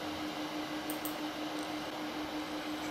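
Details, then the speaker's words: LED96 WiFi projector from AliExpress, recorded with the microphone right against it: quiet, steady low fan hum with a soft airy rush, no rattles or pitch wobble; normal cooling fan, not loud, but best kept away from overhead placement. "гудит Ну вот прям вот вплотную стоит к проектору поэтому прям вот гудение вам максимально слышно не сильно оно на самом деле"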